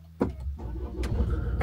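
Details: 2013 Range Rover Evoque SD4 diesel automatic after a starter motor repair for a clicking fault and a battery reconnect: one brief crank, then it catches straight away and settles into an even, low idle rumble. Normal start.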